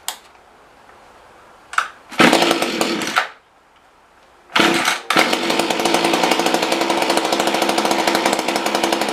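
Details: Mantis rototiller two-stroke that won't rev up: bursts into a rough buzz, dies after about a second, then restarts and runs ragged; owner suspected a dirty carb, later traced to bad gaskets.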